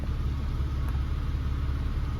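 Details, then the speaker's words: Restored Porsche 911 (996), warmed to 80 degrees after replacing a stuck low-temperature thermostat with an original 81 or 83 degree one: steady, even low rumble, no knocks, misses or hunting; idling well. "So I'm pleased I've replaced that with an original 81 or 83 degree thermostat, but it seems to be running well."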